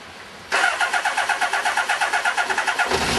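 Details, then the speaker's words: Kawasaki GPZ600R at its first start after standing over 18 months, choke on: the engine catches and runs with an uneven, lumpy beat under revving, seemingly on three of four cylinders. Misfire suspected, not confirmed. "Sounds like it's running on 3 cylinders, but not bad for 18 months off the road. Definitely running on 3."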